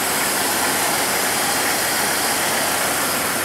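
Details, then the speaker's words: 2000 Jeep Cherokee XJ, first start after lifter replacement, listening at the tailpipe: even idle with a faint light tick from the new lifters still pumping up, no misses or bangs; running normally. "let's listen to the tailpipe doesn't sound like it's missing sounds good"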